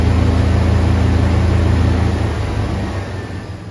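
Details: 1988 Chevrolet S-10 pickup running a few days after a throttle body injection rebuild. Smooth, steady low engine drone that eases off evenly toward the end, with no ticks or stumbles; engine running healthy.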